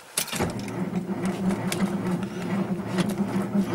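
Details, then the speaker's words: 1949 Dodge with mechanical fuel pump and manually fitted choke pulled, unused about a month in cold weather: starter turns slowly and unevenly, two to three labouring beats a second; slow cranking from a partly flat battery until fuel reaches the engine. "batter's a little bit [Music] flat the problem is it's uh mechanical pump and uh as soon as some fuel gets up into the engine it will start"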